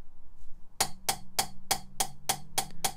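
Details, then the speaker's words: Mitsubishi Evo 4G63 cylinder head rebuild, lapping an oiled nitrided inlet valve: crisp, even pops about three a second as the valve taps a properly cut seat, versus metal-on-metal on an uncut seat. "so you can clearly hear that there's a popping noise as opposed to like a metal-on-metal noise so that's uncut and this one's cut"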